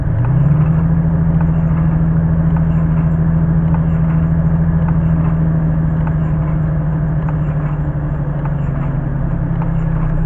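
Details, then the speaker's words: Truck idling while it charges Ed Leedskalnin's Sweet Sixteen machine: steady low idle with a faint rhythmic pulse about three times a second, the engine dipping and surging with each pulse of the machine's electrical load. "well listen to that machine is the barking you hear the Chuck surging that's weird"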